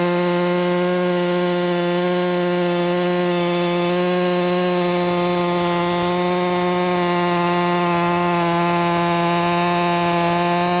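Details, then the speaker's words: Ported Echo 4910 chainsaw with muffler mod, high-speed tuned to about 14,800 rpm, cutting wood: high, steady, even scream with no bogging or four-stroking; healthy, correctly tuned for this saw. "This one's been ported and everything. So muffler mod and stuff. It can get the heat out. But it ended up, yeah, the right tune was about 14.8 for it."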